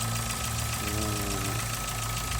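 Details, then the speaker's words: 2011/12 VW Gol G4 engine: light, quick ticking over a steady idle with a faint tone above it; rocker arms already replaced, mechanics suspect the camshaft under the head cover, source unconfirmed. "recentemente galera apareceu um barulho no motor aí eu vou me incomoda um pouco vai dar para vocês perceberem um barulhinho galera"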